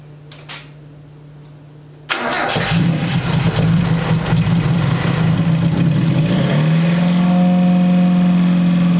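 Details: Mazda Miata first start after engine install and full rebuild, fuel primed: cranks, catches within a second, revs up and settles into an even steady run; normal start and rev.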